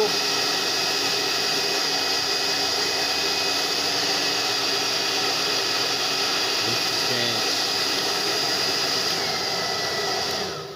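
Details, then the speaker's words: Steady, even high-pitched air rush with no rattle or scrape from a Tecno Elétrica Fórmula 6000 Turbo hair dryer. It is reassembled with an adapted heating element, and the motor is slightly off-center but firmly mounted; it heats well with strong airflow, running normally. "eu coloco aqui ó fica morno aqui já esquenta bastante e a velocidade do vento também"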